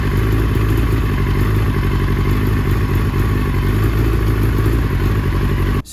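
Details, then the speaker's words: 2005 Yamaha R6 stuttering misfire at a deep, uneven idle with occasional stumbles, worse at higher temperatures; suspected bad fuel or poor ignition, not confirmed; fuel stabilizer and new gas already added, spark plugs to be replaced. "you guys heard the bike stuttering like that it would kind of misfire and this can probably be attributed to bad fuel poor ignition or maybe something else in your circuit in your actual engine"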